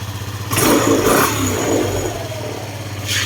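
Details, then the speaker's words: Scooter that had been sputtering and stalling, after tightening a loosened part the owner suspects was the fault: sharp throttle blips rise and fall cleanly, then a steady idle with no sputter. "Parang nag-open ngayon hinigpitan ko siya meron siyang oing nung hinigpitan ko siya tumin yung andar"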